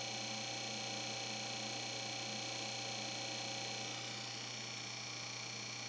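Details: Corsair HG10 N780 GPU cooling bracket blower fan, used with an H45 AIO; replacement unit had the same fault: loud steady whir with strong high-pitched tonal whine and hiss, no speed change; faulty noisy blower fan.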